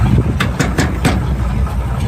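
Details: 1971 Chevy pickup truck for sale, old V8 with points ignition, power steering and power brakes: low, even idle rumble with a regular beat, no misfires or tapping; runs nice and smooth, though a belt squeals and there's a little exhaust.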